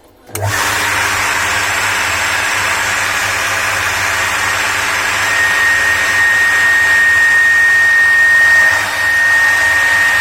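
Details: Household water pump station running: a steady high whistle over the pump's even motor hum throughout. The shaft's mechanical seal is worn and needs replacing.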